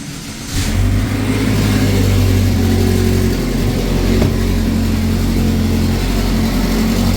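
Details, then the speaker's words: 2011 GMC Terrain with P0341 cam performance code, stone-cold engine, scope on crank and cam sensors: catches and runs with an uneven, lumpy beat, then shuts off; rough running then stall, something suspected loose. "must have been a little loose because you saw it at the beginning it was a little a little wonky and it just shut off nice"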